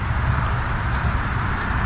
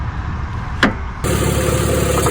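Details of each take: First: GM Envoy/Trailblazer-family AC compressor clutch after fitting a new pulley kit to cure a wobbling, knocking pulley: pulley spins with a soft, even whir, no grinding or clicks. Normal quiet pulley bearing. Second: Vehicle idling with a wobbling A/C compressor clutch pulley: quick light knocking about four a second over a steady idle, also heard while driving; A/C compressor clutch pulley knock.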